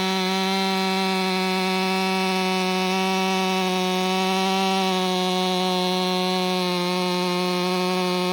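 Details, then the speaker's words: Ported STIHL MS500i two-stroke, now fitted with a MaxFlow air filter, throttle noted as snappier than stock: a steady high wail holds even through the cut, no bogging or stumbling. Pulling cleanly and healthy under load. "Weekend Warrior stopped over and one thing he brought up is how hard these things pull. And I'm holding back on the side to keep the dogs from digging in."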